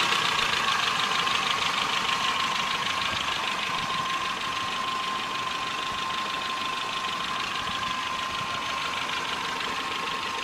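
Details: 1984 Nissan N12 1.5GL after carburetor fix, vacuum advance hose and spark plug replacement: fast, even ticking about three per second with bright clatter over a steady idle; valves need adjustment.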